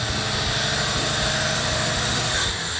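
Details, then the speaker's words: Subaru with freshly rebuilt STI EJ20 short block, first start after reinstall: boxer runs with its usual uneven burble, steady, no knocks or ticks. Normal running after rebuild. "it sounds like a Subaru it's not broken yeah which is a rate thing yeah"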